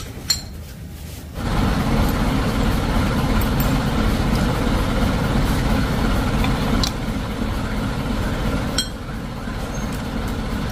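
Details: Mitsubishi L300 diesel (2000) engine, rebuilt after heavy damage, idling with a steady, even diesel clatter and a few light clinks, with no knocks or surging; it is idling normally.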